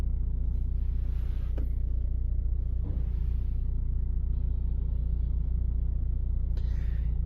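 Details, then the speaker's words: 2009 LPG car, 163,000 km, at idle: deep hum with a continuous droning whine, gone with engine off; source unconfirmed, possibly intake, exhaust or intake-manifold deformation, hard to trace. "윙 소리 나죠? 지금 하염없이 소리가 이렇게 납니다."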